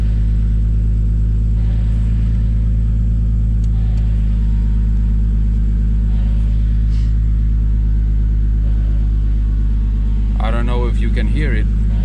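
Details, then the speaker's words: MK3 Toyota Supra 7M-GTE 3.0 turbo straight-six with metal head gasket, ARP studs, 550cc injectors and Garrett GT35 turbo on one bar boost: a deep, steady low rumble with even firing and no knocks or ticks, so it is running normally. "it's a really deep Rumble that this car makes the sound that it makes it's a it's a really deep voice really deep tone"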